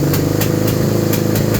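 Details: 2001 Suzuki SV650 V-twin, suddenly began misfiring and backfiring, earlier would only start with air intake covered: uneven idle with sharp pops about every quarter second breaking the beat; cause not yet known.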